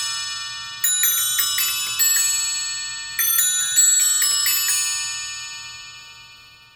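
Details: Eighteenth-century three-train fusee spring clock, after repair, cleaning, lubrication and new gut fusee lines, on test: clear bell strikes in short groups decaying cleanly, no rattle or drag; running and striking normally.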